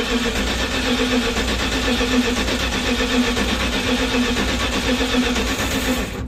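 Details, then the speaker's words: 1970 Dodge D100 pickup V8, first run after cam swap with DLC lifters, before tuning and cam break-in: fires and settles into a steady, even run with a solid low rumble, no misses; normal running, already better as lifters pump up. "Well, that's already better. I get the lifters pumped up. That's already better."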